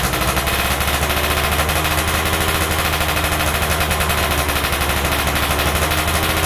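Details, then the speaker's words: Stock Yamaha F1ZR 110 two-stroke, carburetor being wet-tuned by setting the air screw: a rapid, even crackle holding steady revs over a firm low drone; top-end RPM only climbs fully at about 2.5 turns out; normal. "Nah jadi teman-teman ee untuk motor ini E saya dapat setelan angin itu di putaran dua lewat dikit ya 2 setengah ya baru bisa naik RPM atasnya baru teriaknya mentok"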